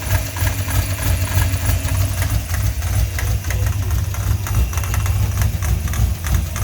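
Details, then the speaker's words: 5.0 Ford after smog pump delete, fitted with a 90-inch serpentine belt that is slightly too long (89-inch needed); uneven knocking clatter about three a second over a rough idle as the loose belt slaps. "so yeah that knock you know i mean you're gonna have that knock if you change uh if you do a small punk delete you're gonna have to get the right size built"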